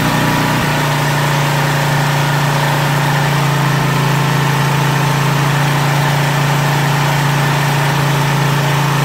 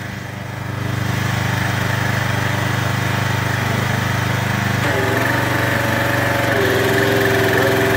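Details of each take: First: Craftsman 2700 PSI pressure washer with Briggs & Stratton 275cc OHV, idle-down actuator worked manually: a loud, steady high drone at full throttle with no load. The owner says that is why it surged, and it was running lean. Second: Craftsman 2700 PSI pressure washer with Briggs & Stratton 275cc OHV after repair, on the other chassis outdoors in heavy rain: a steady, even idle with the unloader cycling audibly. It is running well with no leaks and the unloader working.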